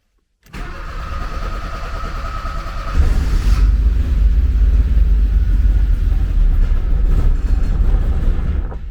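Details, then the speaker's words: 1979 Porsche 924 being started: long uneven cranking, then it catches and runs rough; the fuel pump can be heard, but it struggles to start, with the owner suspecting it may be out of gas. "seems that the fuel pump can't quite creep up today cool well it runs sort of maybe i'll put some fuel in and see what happens"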